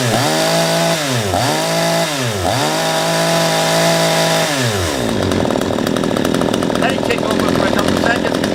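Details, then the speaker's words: P1PE P6220C chainsaw after carburetor adjustment, chain brake on, no load: steady idle that dips and recovers, then clean rise to a high smooth scream at full throttle with slight smoke, slightly rich on high speed as intended; runs properly. "the idle speed is correct and there was a slight Abunda smoking when I was revving into high speed that suggests slightly rich when it's on the high speed range which is a good thing"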